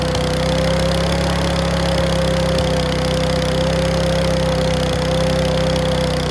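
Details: Mountfield V35 150cc mower (HP414, 38cm cut) after a carb clean; steady hum with occasional sharp pops and clacks breaking in. Owner suspects the carb needle needs sorting; possibly low on fuel. Not confirmed.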